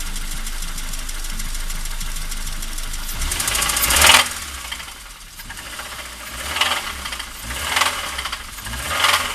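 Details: Toyota Corolla II 5E-FHE engine running: metallic ringing knock riding over the engine, swelling with each rev blip; source in bottom end or valvetrain unclear.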